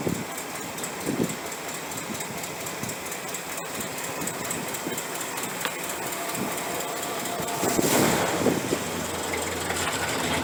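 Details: 1968 Chrysler 300 with a 440 V8 and a replacement used carburetor, after a disconnected spark plug wire was put back on. A steady, even idle with a smooth regular beat and no misfire stumble. It runs better now on all 8 cylinders: normal idle.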